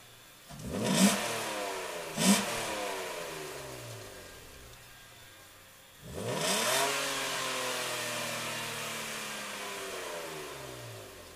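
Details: 1996 BMW 328i, exhaust and intake sound after replacing the power steering pump and belt tensioners: three free revs with loud intake and exhaust roar and no whine; normal engine revving, no whine.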